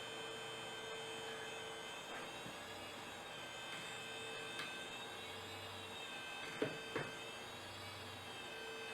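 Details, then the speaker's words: Old Quantum-type Mac hard drive on power-up: thin steady whine with faint warble and occasional ticks as it tries to initialize the heads; spindle motor failure, drive not recognized. "you can hear it try to initialize the head so yeah that's a motor failure right there"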